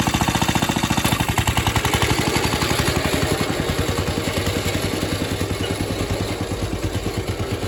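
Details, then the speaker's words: Atco Suffolk mower small single-cylinder engine, with the clutch working after the wear plate adjustment. Steady, even chug of about 3.5 pulses a second; running fine. "Really is quite a fiend, that clutch mechanism. It's either going or it's really going."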